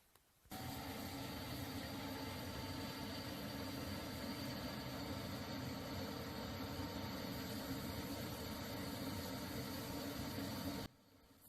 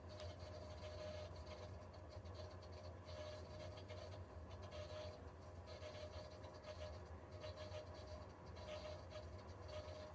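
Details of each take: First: Viessmann Vitodens 100 condensing boiler, which had been making noise from a circulation pump with a part come loose and vibrating: after repair the pump runs with a steady, quiet rushing hum and faint tone, with no knocking or rattle. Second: Viessmann Vitodens 100 condensing boiler showing code F2: steady low hum with faint whine as the circulating pump vibrates because an internal part has come loose.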